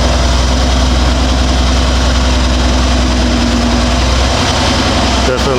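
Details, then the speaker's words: Even, steady idle with no stumble, shake or smoke from the 2019 Mercedes-AMG GLC63 S M177 4.0L V8, 59,000 miles, just after replacing spark plugs and injectors to fix misfires and fuel pressure code; runs smoother than before. "Definitely runs smoother. Before it was pretty much at this point already will start shaking. No smoke either."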